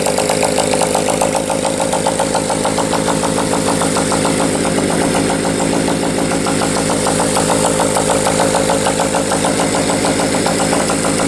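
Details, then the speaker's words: Motorcycle running indoors, likes a little choke at first start: loping uneven idle with occasional stumbles; misfire, owner sees sporadic inconsistent spark and suspects a valve not seating fully. "it's running I'm still wondering if that valve is a little funky might not be seating all the way but I'm definitely getting a sporadic spark it's not a consistent consistent spark"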